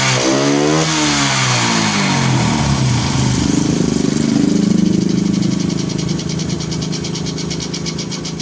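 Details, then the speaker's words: Honda Karisma / Supra X125 motorcycle engine catches and revs, then the idle sags and wavers unevenly as if about to stall; cause is valve clearance set too tight, with no gap, before the valves are adjusted. "Nah itu biasanya disebabkan oleh setelan katup atau klep yang terlalu kencang ya adanya diet tidak punya gap atau celah ya"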